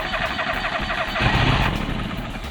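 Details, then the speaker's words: Free John Deere 425 all-wheel-steer garden tractor, non-running, jump-started with carb cleaner sprayed into the carburetor: engine catches and runs rough for a couple of seconds then dies, firing only on spray; fuel starvation, fuel filter next suspected. "let's try putting some fuel in the carburetor and see what happens all right so got the um jumper cables hooked up and I've got some carb cleaner here and we'll see what she does"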